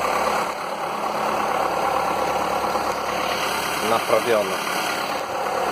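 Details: Skoda (probably Fabia) with VW 1.4 16V petrol engine, morning start after swapping in used pistons to cure piston slap, briefly broken in the day before: quiet, smooth, even idle with no tapping; knock previously present cold and warm, louder warm, now gone.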